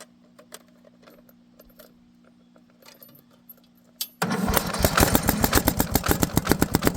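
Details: Tow-behind mower with its own engine, five-foot steel deck: after handling it fires into uneven, chuffing, struggling run with pops back through the intake; exhaust coming out of the carburetor.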